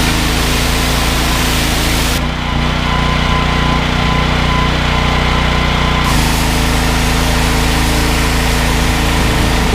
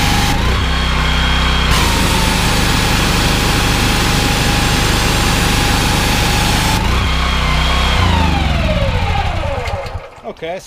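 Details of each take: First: Briggs & Stratton XR2100 14 hp single-cylinder engine driving a 21-litre jetwasher pump: it starts easily and thuds steadily at about 2.5 beats per second, not dying when the trigger is pulled and the pump loads it, a healthy engine under load. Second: Honda GX390 13 hp engine driving a 21 L/min pressure-washer pump. Steady running until the trigger is pulled, then revs drop and it labors before recovering: engine bogging under load.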